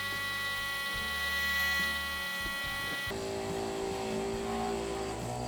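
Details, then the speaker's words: Shower water pump on a 7-gallon tank in a Toyota 4Runner spare tire well, tank near empty: steady drone that roughens and shifts pitch. The pump is sucking air and won't pressurize, so it keeps running. "right, so that sound that you may hear in the background, that means it's starting to get air in the line. And once that happens, when you turn this off, it still won't pressurize, and that pump will just keep on going."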